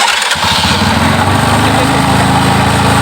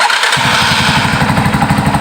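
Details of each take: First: Yamaha Scorpio single-cylinder motorcycle after carburetor tuning: a fast, even putter holding a high idle RPM without throttle, with no misses or pops. It idles cleanly and healthily. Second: Yamaha Scorpio motorcycle carburettor tuning, cold start without choke: engine catches and settles into uneven, lumpy beat with irregular pops; rough running, likely needs choke, cause suspected not confirmed.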